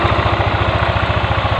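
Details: Older Yamaha NMAX scooter idling with a steady, even low thrum of about fifteen pulses a second, after the fuel pump power and ground circuit was checked and running restored.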